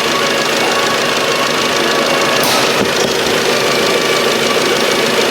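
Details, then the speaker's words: Lexus 460 V8 with just under 300,000 km at cold start, also burning oil with the level at minimum. Rapid ticking chatter comes from the left intake VVT sprocket and the valve lifters. "过我们检查，这个异响的原因，冷启动的时候有一个哒哒哒的声音呢，来源于左边这个进气链轮，还有一个哒哒哒哒哒的声音呢，主要是来源于这个气门顶筒。"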